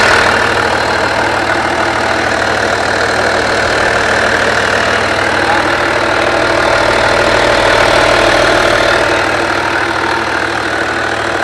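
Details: Skoda Superb Mk1 2.5 TDI V6 diesel, run again after sitting unused since March 2020, with a burst boost hose that caused black soot from a wrong air-fuel mixture: even diesel clatter at idle, steady unhurried rhythm, no hunting or stumbling; idling normally.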